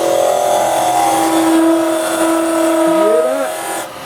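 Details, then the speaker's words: Woodturning lathe turning a small goblet from under 2 inches of wood with a carbide chisel presented flat before rolling it over: a steady singing tone rides over the cutting noise, shifting in pitch as the cut deepens; tool chatter vibration from the flat presentation. "That vibration. Now that's what, if Lisa comes around a bit more with the camera here, if you can go round, that's it. Right, so when you're coming in flat, you got it?"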